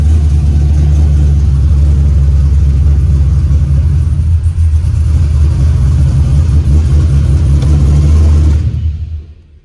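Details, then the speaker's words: LS-swapped 1987 Monte Carlo SS, started after cooling down and plug work; previously died when shifted into gear at operating temperature. Deep steady rumble at even revs, no stumble or miss, then shut off; owner says problem is gone. "But the problem I was having, gang, is gone and I'm happy."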